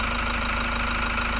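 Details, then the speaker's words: 2018 Toyota Hiace Commuter diesel after a cranking no start was fixed (earlier B1499 ECU-BCM lost communication): steady, even idle with a constant low drone, no misses or knocks, healthy. "Toyota Hiace. Cranking no start to one click start."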